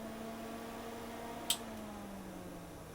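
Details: Tektronix TDS360 200 MHz two-channel digital oscilloscope after power-up: soft, even low hum with a faint tone drifting down as it settles and one small click; fan running normally.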